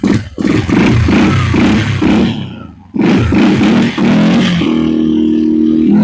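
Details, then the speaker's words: Suzuki King Quad single-cylinder ATV, not run in a while, crankcase had been full of fuel; after the fix it fired without choke, no leaks or exhaust smoke, idle lowered; sharp blips then a steady high rev show normal, clean throttle response. "definitely tell it ain't been ran in a while um seems to take gas fine"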